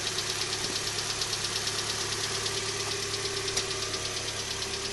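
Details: 2012 Hyundai Elantra on a cold morning start: fast, even light ticking about three per second over a steady idle, louder on the passenger side, lasting up to 5 to 10 minutes after startup; cause not yet found.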